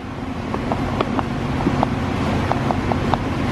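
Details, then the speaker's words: Honda S2000 that won't go into gear with clutch pressed, unit turned slowly by hand: stiff, turns then locks up, scattered dry clicks and catches over low hum; binding differential. "yeah it's it's pretty stiff it turns and then it locks up ya hear that"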